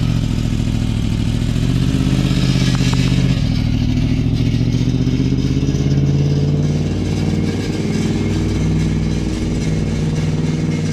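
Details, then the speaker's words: Three-wheeler swapped with a sportbike engine, first ride: loose, uneven clatter over a deep engine rumble as the drive chain rattles against a homemade chain guide after the chain came off. "I built like a chain guide basically y'all can hear it it's just rattling and making noise but hey"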